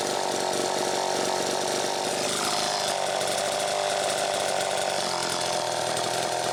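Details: Chainsaw after a fuel tank mounting repair running with a smooth, even two-stroke buzz and no stumbling or surging; it runs properly, though the muffler cap is a little loose, and it was run to warm the engine slightly.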